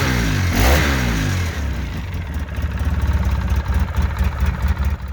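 An ATV single-cylinder engine drops from a brief rev into a steady, even low idle with no exhaust ticking.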